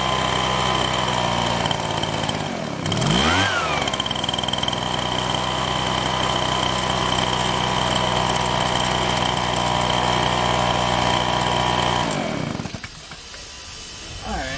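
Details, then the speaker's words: Husqvarna 125BT backpack blower two-stroke: steady high-speed buzz then dips and stumbles before dropping away when choke butterfly opened; carburetor problem suspected; engine bogging. "but this is like I put it in that position it kind of falls flat on its face so we need to pick them that's the issue that most like that we have something with the carburetor"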